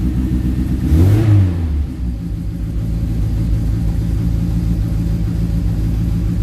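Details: Classic Mini Clubman estate, cold start after sitting about nine years, choke out, out of gear: engine catches with a brief rev around one second, then settles into a steady low even idle with no knocks or misses.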